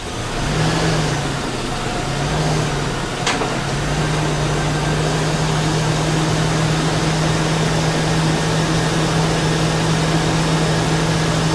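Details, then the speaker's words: 2000 Chevy Tahoe after lifter cleaning, engine flush and fresh oil (previously a hard lifter knock about 20 seconds after cold start): smooth, even low hum with no top-end ticking; lifters quiet, normal idle. "God, does that sound nice. Not one lifter was making any noise. That's unbelievable."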